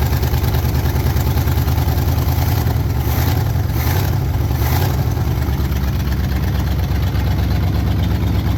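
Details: 1968 Pontiac Firebird 400 V8 first start since 1986 after cleaning and gapping points and pre-filling the carb bowl: deep, steady idle with even low beat, no knocks or misses; running cleanly.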